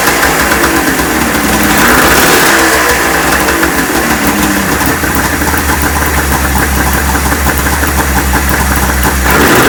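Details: Neglected 1996 Ski-Doo Formula 3 600 triple two-stroke snowmobile, after carb cleaning, choke adjustment and carb sync; crisp, even, steady idle on choke with no misses. Compression about 85–95. Runs healthy.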